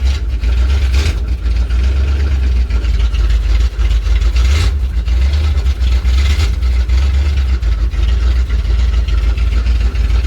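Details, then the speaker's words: 1981 Dodge Ram D250 5.9L V8, cold, after new motor mounts were installed and torqued: deep steady idle with an even low rumble, no knocks or shudder. Vibrations far less than before; runs smoothly, normal idle. "Yeah, the vibrations aren't near as bad as they were. This is so much better. Like a new truck."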